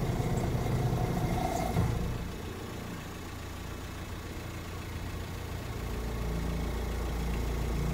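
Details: 2005 VW Transporter T5 1.9 TDI idling: low steady churning drone under the clatter, dipping then rising, from a failing power steering pump. Fix is a new pump with green original hydraulic fluid.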